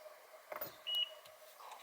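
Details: Mazda FC RX-7 with 13B-REW swap, down for three years: one short high-pitched beep as the battery positive is connected, the security system arming itself, with a security light coming on.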